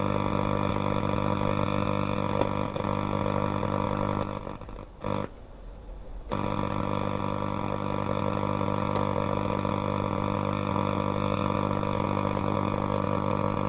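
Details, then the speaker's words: Hacker Herald RP30 transistor radio under repair: steady low buzzing growl that cuts out briefly and returns; suspected intermittent loss of the oscillator, possibly a faulty diode on the tuning-gang oscillator section, a nearby connection or switch contact, unconfirmed. "so I think it's this one which belongs on the oscillator circuit and means we intermittently lose the oscillator um so it could be faulty or it could be some connection around here could be that switch contact even who knows"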